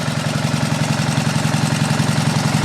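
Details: Gasoline pump engine on a 1989 Ford F-350 brush truck, throttle back, gas valve shut so it runs the carburetor dry: steady, even tick-over with a low hum underneath, no knocks or misses. Normal idle.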